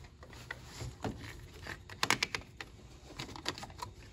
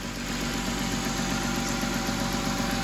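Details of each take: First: Car after a water pump and radiator replacement, having air bled from the cooling system through the bleeder valve with a bleeder funnel. Irregular trickling and spitting of coolant turns into a steady stream as the trapped air purges. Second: Car after a water pump and radiator replacement, idling after its cooling system was bled, with no more bubbles in the funnel. A steady, even low hum with no misses, knocks or gurgling; it is idling normally.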